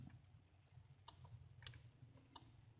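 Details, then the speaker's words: 1998 Mitsubishi Eclipse GS that won't start after parked over a week, key on, refuelled: faint sharp irregular clicks over quiet hum; starter relay clicking, owner thinks normal, plus another unidentified noise near the fuse box. "okay that is a starter relay okay and it's clicking from that relay I already know that's what it is it's not the other relays the starter relay that's clicking"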